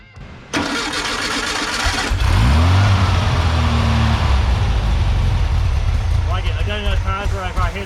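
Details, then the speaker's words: VW 1641cc air-cooled engine on an engine stand, first start after fresh assembly, then tuned: cranks, catches and settles into a steady, even, smooth run with no knocks or misses; exhaust burned in, well-tuned healthy engine. "all right she's a good runner and she's nice and tuned sounds good grip smooth that exhaust is good and burned in"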